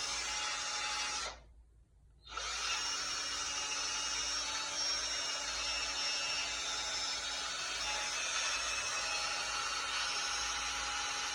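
High, steady whirring whine with a raspy edge, a short stop then back to speed; the drill runs noticeably loud, cause unclear.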